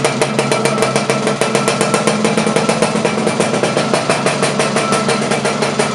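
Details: Laverda LB 125 with Zündapp KS 125 WC two-stroke engine, first starts after rebuild: fast, even crackling beat holds steady with no knocks or misses. Smooth idle.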